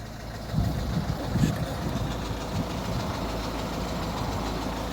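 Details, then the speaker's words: Citroen Berlingo 1.6 HDi diesel idling in neutral: a rough, uneven chatter over the low rumble that goes away when the clutch is pressed and gets much worse when driving. Diagnosed as gearbox noise. "so there we go right in neutral so you can hear a little bit of a chattery noise there"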